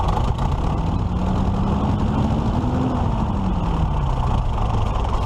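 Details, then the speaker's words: 1941 Case SC tractor before governor repair, governor linkage freshly adjusted: engine note climbs for about three seconds then sags, creeping toward wide-open throttle instead of returning to idle; fault suspected inside the governor. "see it wants to pull itself wide open and it shouldn't be doing that it's just fight to go to Idyllwild"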